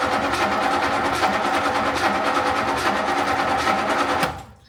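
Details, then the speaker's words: 20-foot Daimler Majestic Major limousine with a Hemi V8, cold start. Over four seconds of steady starter chugging, about three beats a second, before it catches into a deep rumble. Reluctant cold start, likely needing choke. "choke Maybe yeah needing some choke well that is a nice deep Rumble that's nice"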